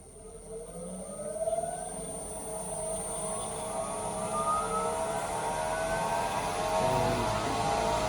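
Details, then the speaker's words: Grizzly G0766 wood lathe, low speed range (100–1200), first test after assembly: motor whine climbs smoothly and steadily as speed is raised from 60 to about 1200 rpm, reading 1210–1220; even, clean run, normal. "Should go up to about 1200. And yep, 1220, 1210. So that is correct."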